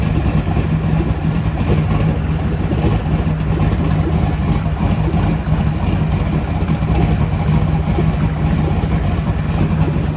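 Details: LS V8 on an engine run stand before installing in a truck: deep, steady rumble holding an even beat with no knocks or stumbles; healthy engine idling smoothly.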